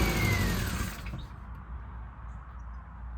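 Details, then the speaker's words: Classic Mini Cooper, first start attempt, running only on carb cleaner sprayed into the throttle body: catches and roars about a second, then sags and dies; fuel not reaching injectors, fuel pump suspected; fuel starvation. "so there's obviously a fueling issue where it's not getting to the fuel injectors which will be the thing I need to look at next"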